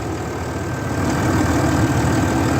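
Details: RAM 3500 dually after an electrical failure, with the battery cables retightened: the engine at a steady, low, even idle in neutral with no stumble or surging, fan turning; it runs fine now.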